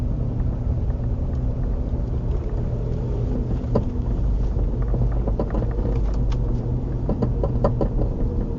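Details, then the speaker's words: Passenger-side rear of a Nissan Murano clunks and creaks over low-speed road rumble, louder when the car is rocked back and forth, quieter on the freeway; mic mounted in the rear; cause is a bad rear shock mount. "When I shake the car back and forth, you could hear it a little bit better. But it's just a little clunking, creaking sound, I should say, maybe."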